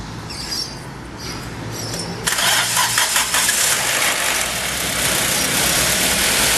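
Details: 1.6 L car with 130,000 km, after a noise repair and reassembly: the engine catches and settles into a steady, even run with no rattle or tapping. It sounds normal and fixed.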